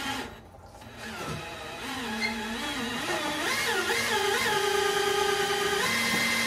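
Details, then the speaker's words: Chevrolet single-turbo race car mechanical fuel pump spun by drill to prime the fuel system, first wrong direction then correct; drill whine climbs and holds with quick even pulse about four per second — pump moving fuel normally. "that's the wrong way you hear pumping Fuel and then we turning it the correct way"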